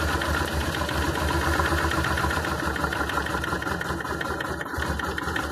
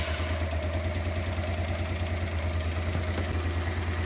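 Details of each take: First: Honda Transalp twin, carbureted, idle mixture screw closed half a turn: uneven lumpy idle with irregular beats and stumbles, getting worse and even stalling; lean mixture makes the rough idle worse. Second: Honda Transalp (around 1996) V-twin after setting both carburettor pilot mixture screws to factory 2.5 turns: low, even idle with steady beat, no stumbles or misses; normal idle.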